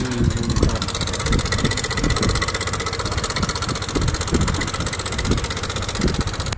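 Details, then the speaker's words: SYM Jet X 150 scooter engine at idle: loud uneven clattery rattle over the engine beat; loose cam timing chain slapping because the tensioner has failed. "so ito nga pala yung motor ni sir jx 150 at ito ang tunog ng kany makina napakaingay"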